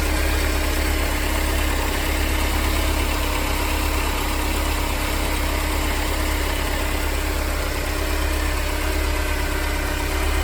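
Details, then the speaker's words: Mercedes-Benz 190E W201 2.0 (M102) after replacing the worn belt tensioner, damper, adjuster and belt: smooth, even idle hum; the earlier rumbling noise is gone and there is no squeal, chirp or rattle. "エンジン動作時にあった異音はなくなり静かになりました。"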